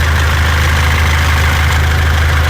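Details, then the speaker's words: 2014 Mitsubishi L200 Triton 3.2 diesel, 254,000 km, noise worse when warm, at idle: dry metallic rattlesnake-like chatter that comes and goes; worn timing chain rattle, timing chain kit replaced. "agora olha aí o barulho para vocês ver ó barulho pare sendo uma cascavel um suai de uma cascavel isso aqui é o barulho da corrente comando"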